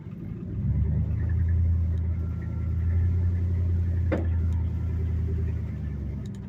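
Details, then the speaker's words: 1986 Dodge W150 Power Ram pushrod V8 after fuel pump replacement, idling about 500-600 RPM with good oil pressure, then on a test drive: steady deep rumble under road load, no knocks, misses or surging; running normally, transmission shifting well. "So and she lives again. Sounds good. And we're at about 500-600 RPM. It's about perfect."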